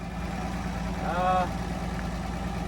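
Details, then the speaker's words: Slant six Dodge Dart sitting since 1992, just revived, possibly running hot, alternator removed: soft, even low idle like a sewing machine, no misses or knocks; normal idle. "but it is like a sewing machine it is it is like a sewing machine that's unbelievable"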